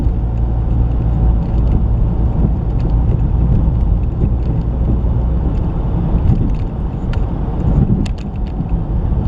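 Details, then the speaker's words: 2019 Chevy Trax driven over bumps: heavy road rumble with a few sharp knocks from the front end, apparently the right passenger side, traced to loose brake caliper bracket bolts left by the dealer. "we've got a clunking noise coming from the front end I think sounds like it's coming from the uh right passenger side"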